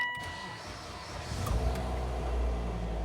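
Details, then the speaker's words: Mitsubishi Outlander GF0W, 2014, 2.0 4B11 engine, 206,400 km, first start after full engine rebuild for knocking and bleeding the lubrication system: short crank, catches and settles into steady low idle, oil pressure immediate, no knock, no errors; normal start. "ну как я горю давление сразу же пошло то есть даже без сомнения все хорошо по-другому быть не могло так как мы прокачали эту систему смазки ну и работает ровненько никаких ошибок ничего нет"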